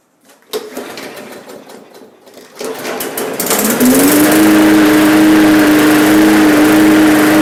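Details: Free roadside MTD push mower: after some handling it pulls over, catches, and climbs to a steady high drone that holds speed evenly; the mower runs properly.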